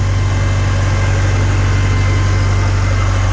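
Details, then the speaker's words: 1955 Farmall Cub after a tune-up with new spark plugs for a no-start and rough running. Even low thump at about four beats a second, steady and unbroken. Owner did not suspect the ballast resistor. Normal idle. "smoking or not smoking they just run and run and run and run but uh yeah I didn't think it was a balanced resistor because when they go bad you get a big bunch of nothing so"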